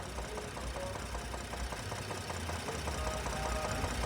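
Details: Ford ST, said to be tuned, rough idle with sharp tapping two to three times a second heard at the left side of the cylinder head; camshaft position timing over bank 1 code, customer says it died on highway, needed alternator; engine knock, source unconfirmed.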